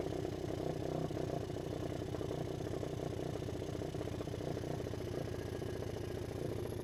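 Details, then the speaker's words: Suzuki LT160 quad, sat 3 years, after carburettor work, running without air filter: steady, even single-cylinder putter at a sensible low idle, not too high, smooth; normal idle. "sounds pretty good you know it doesn't seem to be idly too high"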